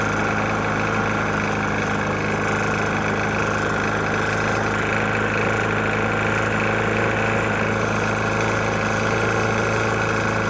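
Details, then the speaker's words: Murray E450 mower with Briggs & Stratton engine, found nearly out of oil and topped off, runs steadily at speed with a heavy mechanical knock under its drone. "Got a Murray E450 Briggs on there. Engine's knocking pretty bad."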